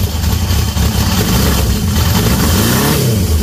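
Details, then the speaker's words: Cold-start 1978 Honda CB750F Super Sport motorcycle being restored, first start of the morning on choke with jump pack: deep, even exhaust note rising and falling cleanly with throttle, no misses or knocks, oil light off; healthy engine revving. "Listen to that, guys. 1978 at its finest."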